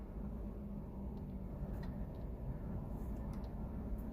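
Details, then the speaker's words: Car after engine swap that cranked but wouldn't start, fixed by replacing the faulty fuel level sensor from a junkyard: now running with fuel gauge showing full and temperature good, quiet steady idle with no knocks or misses. "my temperature is showing good there and the car the car is on"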